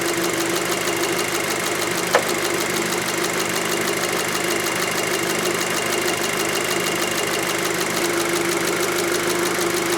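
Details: 2006 VW Passat 2.0T with P0190 fuel rail pressure sensor fault and lacking power, warm idle: smooth steady idle with light quick ticking from high-pressure fuel pump on top; healthy idle.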